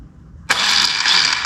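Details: 1985 Yamaha Moto 4 ATV with no start and no engine turnover, starter jumped directly at its terminal: high smooth whir spinning up instantly with no cranking beat; starter runs free, drive gear likely not catching.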